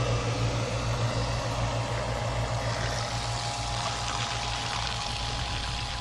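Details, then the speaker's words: Pump powered by a new 12 V 100 Ah car battery through a 750 W inverter; steady low hum under constant rushing water, no surging or stalling, pumping out faster than a garden hose fills the container; normal running. "but look how well this works this is what the garden hose I've got water coming into that container and it's pumping it out faster than it comes in"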